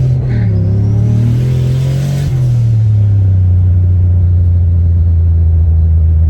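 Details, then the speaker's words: Car with T45/3650/T-56 style manual gearbox after an experimental fix: revs drop cleanly through an upshift and settle into a steady low drone, no crunch or grind; the previous 1-2 shift grind is gone. "Um the car went into gear smooth uh smoother anyway. Um and immediately my one two shift grind was gone completely gone."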